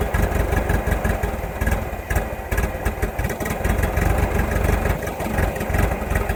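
Idle pulses come unevenly, with lumpy beats and occasional stumbles over a clattery background; the engine is idling rough.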